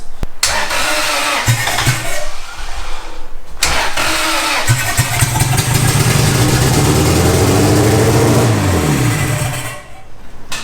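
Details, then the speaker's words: Boosted Honda Integra at its first start. After halting cranking it fires, then revs unevenly and hunts before dropping off. Rough running; a vacuum leak is suspected because no vacuum lines are connected yet. "there's some life for you baby all right well we got probably vacuum leak the lower right no vacuum lines on anything"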